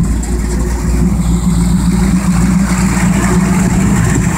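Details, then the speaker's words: Ford 289 carbureted V8 with electric fuel pump and new fuel return line, holding 7 psi fuel pressure, warming from cold; steady, even low rumble, no stumble, misses or pump whine. "here we are with our 289 holding a solid 7 lbs of pressure"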